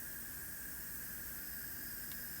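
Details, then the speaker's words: Diverter valve leak test under pressure from about 5 to 28 psi: constant airy hiss with thin steady high tone; valve leaks boost substantially, gauge only holds when fully blocked off. "we've got a good amount of leak here so you can kind of you can see if when I completely block it off and don't allow it to leak this gauge goes up and stays with the other one so we have a pretty good amount of leak on this one"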